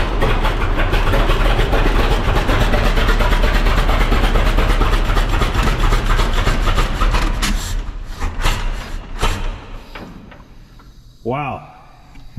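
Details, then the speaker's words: 1926 Seagrave ladder truck, 1013 cubic inch F engine, first start in at least 10 years after long storage, had been flooded with too much gas: fires and runs with strong, fairly even low chuffing before shutting down; normal running after start. "there you go first start in 10 years and this thing's been sitting a long time let's try again that sounded good"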